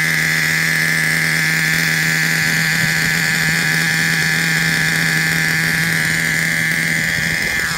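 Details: Traxxas Revo 3.3 nitro engine: high, steady buzzing drone at constant pitch, unbroken with no sputter or dropout; engine running fine, though truck needs new transmission, spur gear with missing teeth, starter motor and one-way bearing.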